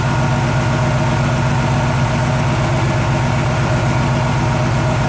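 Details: Warmed-up Chevy 350 V8 idling with the valve cover off, after running lifter adjustment by quarter-turns on the rocker nut; even low rumble with no sharp ticking on top; the valvetrain sounds quiet and properly adjusted.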